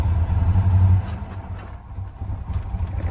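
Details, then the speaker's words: Harley-Davidson edition Ford F-150, towed in not running; uneven, lumpy low rumble that sags and nearly dies off throttle, shaking badly and unable to hold an idle; fuel delivery fault, rough running and no idle; coil packs and spark plugs to be replaced first. "oh she caming no so yeah she's shaking bad let's shut her down"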